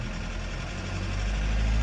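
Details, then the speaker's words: Mercedes Sprinter diesel after injector replacement, warmed to temperature, running the Autel Maxisys injector coding and idle calibration, which takes about 20–30 minutes: deep steady rumble that climbs in speed on its own. Normal automatic revving; owner hopes it cures the fault. "it's revving it without me doing anything. This procedure does go on for a good 30 minutes."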